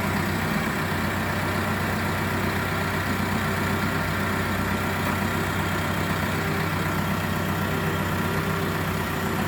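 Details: Caterpillar D3K dozer just started during a daily pre-use check (P2H) after confirming the dashboard warnings clear: steady, even low diesel rumble with no knocks, misses or hunting. Idling smoothly, normal idle.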